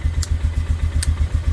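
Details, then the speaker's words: 1998 Polaris Sportsman 500 4x4 with the white-and-black coil kill wire unplugged to cure crank-no-start: single-cylinder idle thumping evenly about seven beats a second keeps running with the key off or removed; only grounding that wire stops it. "i can turn the key off and it doesn't do anything i can take it off and the machine is still running so the only way to turn it off is touching this wire"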